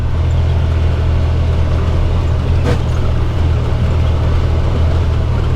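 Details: UTV riding on trail after tightening a loose roll cage-to-frame bolt that had been clicking: steady low engine drone with no clunks or knocks; chassis sounds solid.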